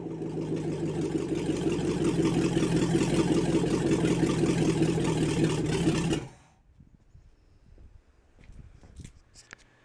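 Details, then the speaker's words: International 345 V8 first start after reassembly, timing set by ear; lumpy, slightly uneven idle with a rev or two before shutdown, carburetor clearly needs work, mixture sounds off. "first step is accomplished i got it running reasonably well you know i've just timed it by ear and the carb definitely needs some work but i at least wanted to get it so it would idle and it's doing that"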